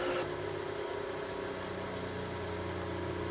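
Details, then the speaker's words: South Bend lathe motor on an FM50 VFD turned down to 15 Hz: a steady low hum as the motor slows, with slight vibration that is normal and no concern. "see now you can hear the motor slowing down um it's starting to vibrate a little bit it's really nothing though"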